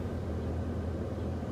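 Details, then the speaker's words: 2nd-gen Cummins with an AirDog/FASS lift pump, key on after a fuel and water-separator filter change: even, low electric hum as the pump primes and purges air from the line for about 15 seconds; normal. "and it's gonna come on, and your pump's gonna prime right there, and you can hear it running out the air in the line."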